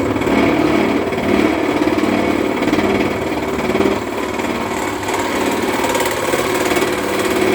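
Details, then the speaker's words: Wood lathe turning a spalted birch firewood blank into a winged bowl, about two-thirds in: steady cutting noise with irregular heavy bangs as soft, punky wood tears out in chunks at the tool. "So there's quite a bit to do, but you can hear it every now and again. It's like got a banging."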